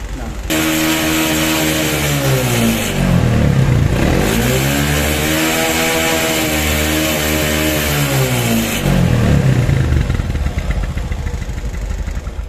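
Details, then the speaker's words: Honda Supra X 125 revved in small single blips: sounds clean and even while thin white exhaust smoke shows; oily cylinder head area and exhaust suggest worn lower valve seals, suspected, not confirmed. "oke, kelihatan ya, dia mengeluarkan asap berwarna putih, bukan hitam tapi putih ya."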